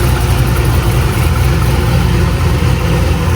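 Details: 2000 cammed C5 Corvette V8 just after a new Delphi crankshaft position sensor was installed: deep, loud, steady rumble with an even beat, no misses or hunting; idling properly, main issue fixed.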